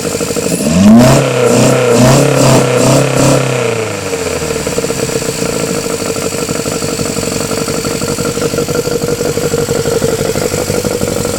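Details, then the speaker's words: Honda Civic EF with swapped B18C4 and OBX individual throttle bodies, first startup: sharp revs then uneven lumpy idle with ragged beat; runs rough, owner suspects current ECU setup, unconfirmed. "I've got my uh Lambda running rough huh it's running a bit rough we need drive with it oh yeah sounds like it's running off"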